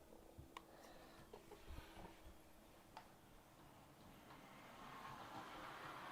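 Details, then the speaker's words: Accurascale Class 60 model locomotive after oiling the axle bearings and reseating a middle wheel that was off the track: soft low whir, light track clicks, no squeal; the squeak seems completely fixed. "Okay, so that seems to have fixed it completely now."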